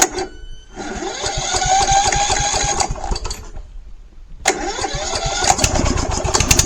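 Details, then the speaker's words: Troy-Bilt Bronco lawn tractor after a new carburetor, exhaust repair and tune-up, parking brake set: the engine catches quickly and runs at an even small-engine patter, pauses briefly, then fires again and settles smoothly, starting normally. "I already have the parking brake set and it should literally fire right up."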